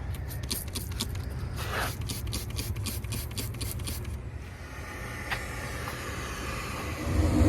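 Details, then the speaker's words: 2018 Daikin rooftop unit, previously no heat, after replacing failed two-stage gas valve: rapid igniter ticking about four seconds, then low steady burner rumble; normal ignition. "I just wanted to start it up, check operation, and then we'll check the gas pressure right now. At least I know that it starts."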